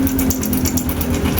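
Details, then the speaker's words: Honda Wave 100 at steady idle before teardown: a fast, busy metallic rattle over the small single. Suspected loose timing chain, tensioner or chain guides, not connecting rod knock. "So ganyan kaingay mga master. Ayan kung maririnig niyo sobrang ingay niyan."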